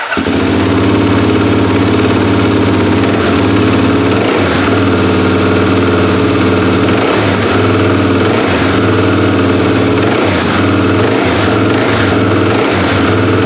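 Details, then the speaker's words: 2024 Kawasaki KLX300 single-cylinder after installing Delkevic aftermarket header pipe: loud even idle with steady low drone, several quick throttle blips rising and settling back; normal running. "So I'm going to go ahead and fire it up here. Give it a little revvy."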